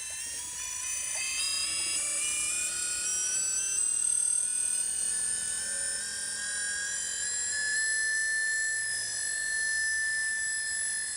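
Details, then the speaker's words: Modified Pacific Hydrostar clear water pump with a 135kv motor driven by an 80 amp ESC, slowly spun up from low PWM and barely moving water; a clean electronic whine climbs smoothly in pitch with no rattle; normal motor run-up. "So just gonna go ahead and slowly spin it up. Hear the motor kick on. Just barely moving any water"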